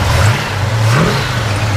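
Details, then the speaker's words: 1968 GMC 2500 Custom farm truck, 396 big-block V8 with fresh tune-up, new motor mounts and gear-drive starter: deep, even rumble swelling on a quick throttle blip and settling back, no knocks or misses, lots of power and torque; normal idle and rev. "You can tell there's a lot of power, a lot of torque."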